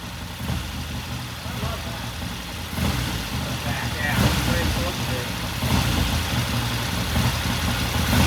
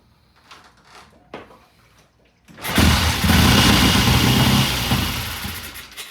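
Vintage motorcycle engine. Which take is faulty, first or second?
second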